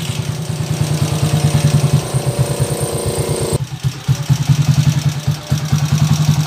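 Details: TMX155 single-cylinder motorcycle idling with a harsh clattery beat and loud mechanical rattle over the exhaust; excessively noisy engine before overhaul, with a noisy first gear.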